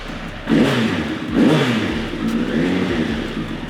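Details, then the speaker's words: 1996 Suzuki Bandit 1200 first start after a carburettor rebuild, pilot screws set 2 turns out, on jump leads because the battery is dead: catches and revs cleanly in smooth rises and falls, no knocks or misfires; sounds all right. "Sounds all right. Winning."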